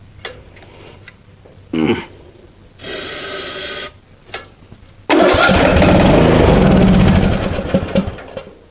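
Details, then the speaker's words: Greenfield ride-on mower with the intermittent seat safety switch bypassed, owner reportedly running E10: repeated cranking bursts catch briefly, then a ragged, sagging run. Runs poorly; wrong fuel or the solenoid at the carburettor base suspected. "we've either got a fuel problem either the wrong fuel in it or it does have a solenoid at the bottom of the car be here"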